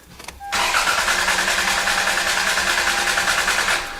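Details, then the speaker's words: 1998 Toyota Camry with misfires on cylinders 2 and 3, cranked with the ignition coils unplugged. The starter spins evenly and each compression pulse matches the last: good compression across cylinders. "sounded pretty, yeah, sounds good."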